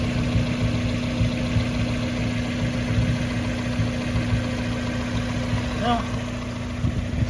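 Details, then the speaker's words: 1994 Mazda Miata idling after first start following winter storage since October; steady low hum of constant pitch over the idle that the owner hears from the air box, suspecting a mouse ate the air filter; source hard to tell. "i hear a humming sound coming from the air box let's take a look at that maybe pop it open i wonder if a mouse got in there and eat the air filter"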